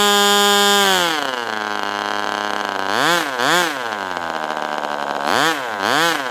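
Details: Ross Black Demon 61 model engine with Perry carburetor, first run: high buzzing drops to low idle, then surges and sags; idle won't hold, about 4,000 rpm lowest before dying, because carb barrel binds then lets go.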